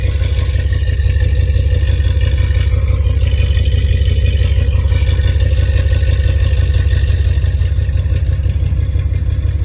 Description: This is how my 2005 Dodge Ram 2500 5.7 Hemi sounded with American Racing Headers long-tube headers and a tractor muffler while it still had a misfire from a bad coil pack.